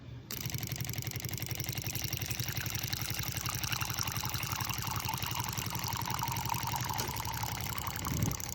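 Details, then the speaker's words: Barista Bike propane instant hot-water system: water-bath thermostat opens a 12-volt valve to the burner when temperature drops below 98; pump kicks on and burner reheats bath to 95 °C, a steady roar with even pulsing about two beats a second; normal operation. "can hear the pump kicking on and the burner reheating the bath back up to 95 degrees Celsius."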